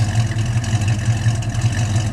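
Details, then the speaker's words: 1970 Mustang fastback V8 with dual exhaust at idle: deep, even burble with a steady lopey pulse and no knocks or ticks; healthy engine and exhaust. "can hear it sound sounds real good"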